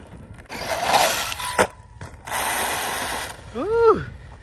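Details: JLB Cheetah 1/10 brushless RC car under hard acceleration: two harsh crunching, grinding bursts, then a quick motor whine. The differential case has a small crack and two popped bearings; the motor mount is also loose and bent.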